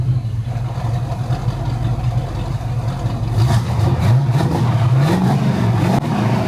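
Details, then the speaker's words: 1971 Pontiac Firebird V8 after distributor points replaced with an electronic ignition conversion kit, carburetor already done, recorded from behind: deep steady burble climbing cleanly through revs and settling to an even idle; ignition issue fixed, normal idle and revs. "Let me give you some revs and some idles from behind."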